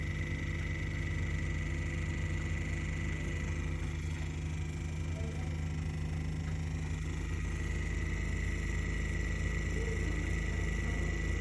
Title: Intense clicking noise from MP60 Vortech.